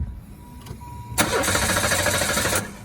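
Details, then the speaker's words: 82k-mile GM Lumina (GM V6 family) in cold weather; steady even starter crank for about 1.5 s with no catch or grinding, the distinct healthy GM starter sound, before trying clear-flood mode. "All of these old GMs, the 2.8, the 3.1, the 3100, the 3400, the 3800, the 3300, they've all got a distinct like starter sound."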